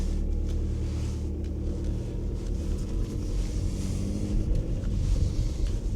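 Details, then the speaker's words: Audi A4 2.0 L diesel, warm and driving after passing its MOT: deep, even rumble with no misses, lumps or knocks, pulling steadily, smooth unlike the usual lumpy 2.0 L idle; normal running. "It runs really nice for a 2 L diesel. These 2 L diesels were notorious for just running lumpy on idle, but this runs lovely and it feels and sounds like a 19 PD."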